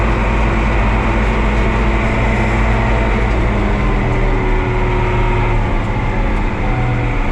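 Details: Oliver 2255 front-wheel-assist tractor on a test run after a service of engine oil, transfer case, front axle, rear end and hydraulic oil: a steady, even low diesel drone at one speed with no knocks, misses or rattles. Normal running.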